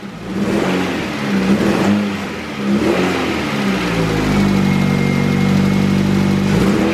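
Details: LS engine in a car just worked on, after spitting and stumbling earlier: revs rise and fall, then it settles into a steady, even idle with no stumble; a very slight valve tick, possibly one loose adjustment, is barely noticeable.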